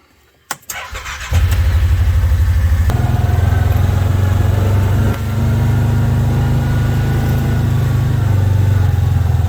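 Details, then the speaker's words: Kawasaki Teryx UTV with a charged battery: a brief crank, then it catches at once and settles into a steady, even idle with no misses. Normal start. "All we got to do is jump in and load it. And with a charged battery, she should fire right up."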